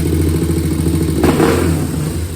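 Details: 2001 Honda TRX400 single-cylinder, stock exhaust: even thumping with a quick throttle blip that picks up cleanly and settles back, no ticking or clatter. A small tick had been reported after a valve adjustment to spec; revving sounds normal and healthy.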